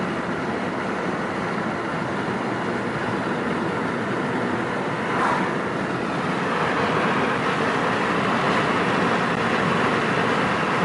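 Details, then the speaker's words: 2004 Nissan Quest test drive at 2500 rpm after fitting new exhaust brackets per Nissan TSB NTB05-021e: steady road and engine noise, no metallic buzzing or rattle from the exhaust. "I'm doing a test drive right now mm 2500 rpm so far so good I don't hear any buzzing"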